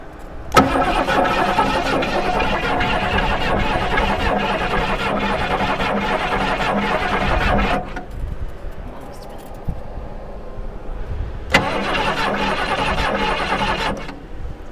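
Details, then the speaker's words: 1973 Mustang Mach 1, believed sitting 15+ years, fuel squirted into the carburetor: about seven seconds of steady starter churning, a pause, then a second crank; never fires, no spark reaching the coil. "So we'll just crank on it for a minute and see if we think it will fire off."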